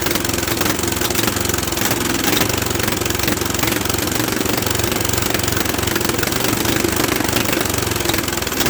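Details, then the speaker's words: Old Bolens tractor that sat in a barn for years: steady rapid chugging while cranking, never catching. Fuel is on but none is flowing through the filter yet; owner suspects a blockage. "the gas has been on it's not one position i don't have any flowing through the filter yet this could be blocked up"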